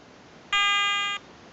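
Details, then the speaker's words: Garrett ATX pulse induction metal detector at setup: a steady high electronic tone from the automatic frequency scan, which ends in three beeps when it finds a quiet operating frequency. Normal. "okay she's getting nearly finished with the frequency scan it's going to find a nice quite frequency operate on okay three beeps and she's found a nice quiet frequency"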